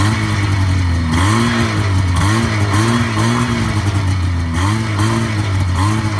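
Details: 1980 Yamaha SS440 Exciter snowmobile two-stroke, revived after sitting about 20 years, with a fuel line cracked the night before, throttle still a little sticky; a crisp note rises and falls cleanly with repeated throttle blips, no misses or stumbles, running healthy.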